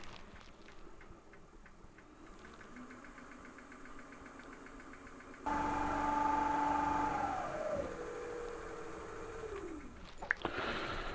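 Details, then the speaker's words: Axminster AT406WL (AT1628VS) lathe after replacing spindle bearings and drive belt to cure a knocking worn bearing: motor starts to a smooth steady hum and winds down evenly, no knocking; running much better. "seems to be running a lot better now hopefully that's shown you what's involved with the process"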